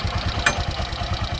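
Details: Bajaj CNG auto rickshaw after fitting another CNG kit, following bukbuk misfiring caused by a missing air nut: an even single-cylinder thump at roughly ten beats a second with no stumbles or jerks. Runs smoothly, with good pickup after a test drive.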